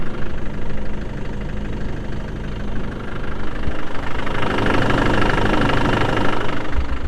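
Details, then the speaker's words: Land Rover Defender 110 diesel: steady, even idle with a light, regular tick and no misses; sounds healthy. "They're saying, and there's a defender just ticking away. Listen to it. Listen to that."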